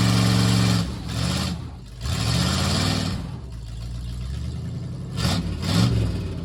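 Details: 1958 Plymouth (body swap) running and driving for the first time in over 40 years, on temporary ignition switch: engine pulls up and settles with some rev swings, running steadily with no knocks or misses; normal running.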